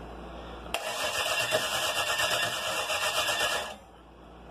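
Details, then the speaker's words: 305 V8 on a starter, first start attempt in years, battery run down, timing possibly set backwards. About three seconds of steady, brisk cranking that never catches, then stops; no spark, and the ignition coil was found bad. "about 80 pounds so the coil was bad all right the coil was [ __ ]"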